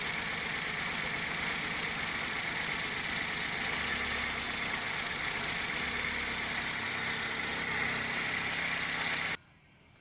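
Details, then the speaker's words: 2012 Hyundai Accent at idle, customer complaint of misfire: uneven stumbling beat under the steady hum; ignition coils checked one by one, engine reacts when each is unplugged; scanner shows purge control valve fault; engine misfire. "012 model ang concern pala dito ng customer natin is palyado siya mga boss"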